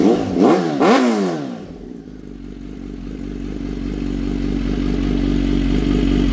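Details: Kawasaki Z H2 with a newly installed Brock's Performance Penta carbon black full exhaust, morning cold start: the starter whirs, then it fires into a deep, steady idle that slowly firms up with no knocks or rattles. Normal.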